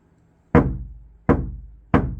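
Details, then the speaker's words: Kia Sportage NQ5 facelift door tapped on the outside, compared with the wood-damped side: three loud, hollow booms that ring and fade over half a second; panel resonates, louder and unfavourable for music. "많은 차이가 나죠. 많은 차이가 납니다. 그래, 음악적으로는 불리하죠. 더 큰 소리, 더 크게 들리죠."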